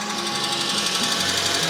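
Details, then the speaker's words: Tracker, cold start after sitting overnight, ECU reset after rough idling while off-roading: fast, light, even ticking over running engine, usually fades as it warms; cold-start tick, cause unknown. "all right so the tracker sat overnight I fired it up and as you can hear it is running again uh it's ticking pretty loud but it sort of does that until it warms up"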